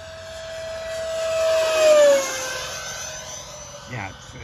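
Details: Freewing F5 Tiger RC jet fly-by with a new 12-blade ducted fan: steady fan tone sliding down in pitch with a hoarse, hair-dryer rasp; 12-blade fan mismatched with this motor.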